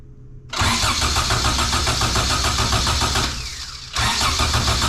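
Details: 97-ish Acura Integra GSR, unknown build: starter churns evenly at three to four beats a second, pauses, cranks again, never fires; no spark, confirmed with a known-good plug, traced to a bad ignition coil.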